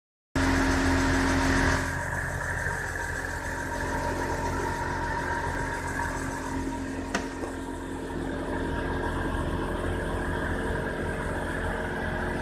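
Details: Subaru Outback BP9 while driving: a steady low drone rides over the road noise and holds its pitch, the hum of a worn wheel hub bearing.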